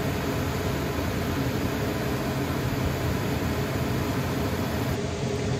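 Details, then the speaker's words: Dometic furnace in six-month-old Jayco Jay Feather 27BHB RV after sail switch replacement (part 33082) and refitting the vent piece: steady low blower and burner roar, no clicking, cycling or rattles; now runs properly. "so what i didn't do before trying to kick it on was put the uh put the vent piece back in and i guess just that little bit of difference that one little piece made that much of a difference because now it's working"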